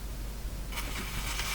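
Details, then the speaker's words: Silvertone model 6002 tube radio during low-output troubleshooting: steady mains hum breaks into crackling sizzling hiss as a capacitor fails and fries. "uhoh uhoh something just gave up the ghost there oh you didn't see it but you heard it"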